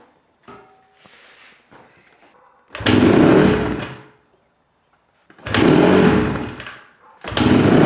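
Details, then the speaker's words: 2008 Honda CRF150R dirt bike with carb trouble: engine catches in loud surges of about a second, then quits, repeatedly; idle is really high and it dies with throttle; owner suspects an air leak, lean pilot circuit. "so one issue that we're having is the idle is really high I think it's getting some air in from some place and then once it calms down as soon as you give it a little bit of gas it just dies"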